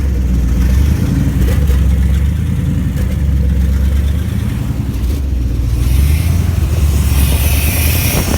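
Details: 1987 Chevy Silverado K10 350 V8 with an uneven rough idle that drifts, revs sagging and climbing back on their own, gaining and losing power; cause unknown.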